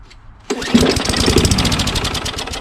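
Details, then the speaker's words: Free curbside Craftsman push mower with Tecumseh engine after new magneto and carburetor: silence, then the engine catches and runs with a quick, even popping beat and no misses; starts and runs normally. "baby baby did you hear that you have to fix this so it ran"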